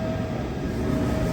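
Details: Rear axle of a Bolero while driving: a steady gear whine over the rumble. The crown and pinion is worn and its oil had run completely dry; the joints were found fine.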